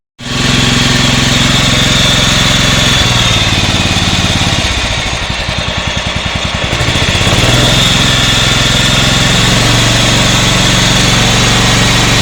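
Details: Yard-Man 15 hp riding mower with 42-inch deck, revived after sitting outdoors: catches, settles into an even idle, dips briefly mid-clip and recovers. Normal idle; it had stalled earlier because the idle was set too low.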